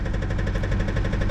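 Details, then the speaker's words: 2007 Jeep Compass (possibly 2008) (Copart, listed run-and-drive, 156,000 miles) first start on jumper cables: deep heavy knock about nine times a second over rough idle; suspected rod knock or spun bearing, engine likely scrap, not confirmed. "she is knocking oh she's got a good knock man let's go ahead and check this thing out definitely sounds like she has a road knock guys"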